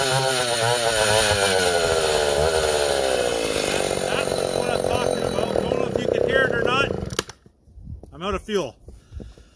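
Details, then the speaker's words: Vintage Husqvarna L65 chainsaw on its last cuts near an empty tank: screams under cut, then pitch climbs and wavers before shutoff; owner plans to refuel and maybe adjust the high jet slightly. "You could hear the RPMs kick up. I'll throw some more fuel in it, maybe adjust the high jet just a bit."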